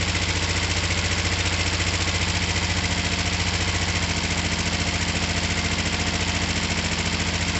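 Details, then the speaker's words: Finished, repaired twin motorcycle (down pipes just wiped, slightly smoky) started from the button: smooth, even idle with steady low pulse, no misses or knocks; healthy. "whatever was on it before it will start up it will run it will idle well and it'll run beautifully"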